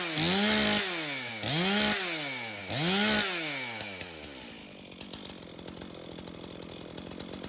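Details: Stihl MS 391 chainsaw, customer-reported no-start, run on fresh two-stroke mix: three sharp throttle blips rising and falling cleanly, then a steady ticking idle. It runs fine; stale watery fuel is suspected as the cause.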